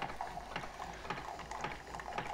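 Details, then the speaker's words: New Keurig 2.0 brewing a 6-ounce cup: a quiet pump pulsing about twice a second over soft gurgling water. A normal, relatively quiet brew cycle. "And then all we do, just like any other Keurig machine, is press go. Relatively quiet machine."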